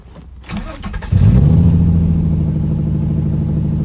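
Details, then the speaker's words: Nissan VQ35DE V6 with a P0303 cylinder 3 misfire code, started after replacing one ignition coil: it cranks, catches, then idles lumpy with an uneven stumble. Still misfiring, but less than before. "Um, it definitely still sounds like it's misfiring H, but less."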